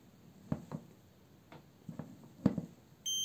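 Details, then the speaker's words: Car starter solenoid tested with a multimeter while the plunger is pressed by hand, spring removed: a few handling clicks, then a steady high beep showing continuity between the battery-positive terminal and the brush-holder terminal; the solenoid contacts are good. "y escuchen el sonido en el multímetro y también aparecen los números y los ceros, y eso significa que si hay continuidad entre la terminal que va al positivo de la batería y la terminal que va al portacarbones."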